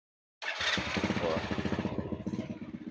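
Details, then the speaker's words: Honda Supra X (older model) electric start after fixing weak, unstable battery charging with a diode: brisk, even starter cranking, then the engine catches at once on a single press and settles; starts strongly, normal electric start. "Langsung hidup Mas sekali pencet langsung hidup kita matikanah kita start lagi mas ya langsung Mas ya"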